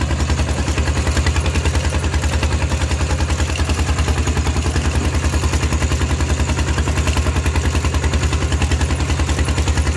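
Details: Steel-wheeled diesel tractor ploughing a rice field with a loud replacement exhaust pipe: hard, steady thumping about 200 beats a minute under load, very loud and raw; an open, unmuffled exhaust.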